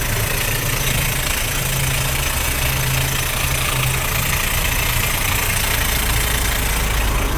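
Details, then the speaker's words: Car engine at steady idle with a rough low drone and a grinding whirr over it; the noise goes away when revved and returns at idle. It comes from the starter drive staying engaged and rubbing the flywheel ring gear. "cuando yo le aceleró el ruido se quita a ver nos sigue haciendo ya lo después de ser así se le quita escuchen ahora está como estaba antes"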